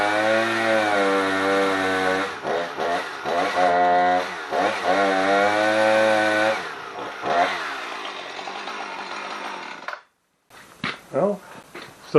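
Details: Husqvarna 455 Rancher chainsaw, run before the spark plug change: screams at high revs, then pitch sags and stumbles repeatedly under load.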